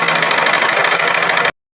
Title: sewing machine noise sound problem?😱✅#vk stiching lzm